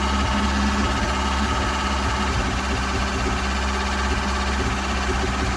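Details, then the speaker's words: Ford Cortina after tinkering, restarted: steady low idle with a slight uneven lope, still a little lumpy. "Sounds good. Still a little bit lumpy. Still a little bit lumpy."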